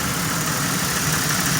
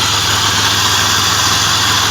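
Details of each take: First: Car after top-end work with new wires and original spark plugs: mostly steady idle with slight roughness and occasional stumble; still misfiring a little, owner suspects an upper intake manifold vacuum leak, finding cites failing coil packs/ignition module. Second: 1997 Pontiac Grand Prix GTP after replacing a burst radiator hose that dumped coolant near the front exhaust manifold: steady, even idle under loud hiss, no misses or knocks; antifreeze burning off, no leak, not a head gasket.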